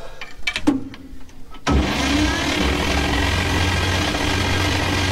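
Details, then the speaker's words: 1953 Chevy 5700 COE truck, not run in about 50 years, cranking. The starter spins fast and perfectly even with no slowing on compression strokes; compression test readings were 50, 0, 25, 25, 75, 40. Low compression across cylinders. "no compression look at how fast it's like yeah you would hear it you know you would hear it if it had a compression"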